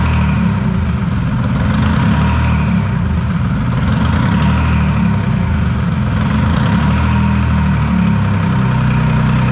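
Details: Detroit 3-53 two-stroke diesel after 25 years idle; reversed camshaft corrected, no exhaust or driveshaft fitted, about 100-150 degrees, small fuel leak found. Steady, even low drone that swells smoothly as revs rise and settle. Runs clean and healthy.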